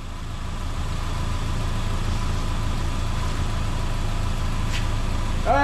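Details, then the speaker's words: 2010 Subaru Impreza with rebuilt used EJ253 (new rings, bearings, gaskets) after original motor's broken ring lands, already heat-cycled: smooth, even idle with steady low hum, no knocks or ticks, "sounds like a sewing machine"; normal idle. "all right that's good now this sounds like a sewing machine"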